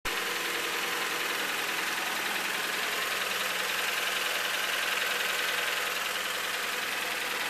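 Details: Turbocharged Honda Civic EG at idle: a light, fast ticking over a bright, hissy running sound; owner suspects the head/valves or a spun bearing, unconfirmed.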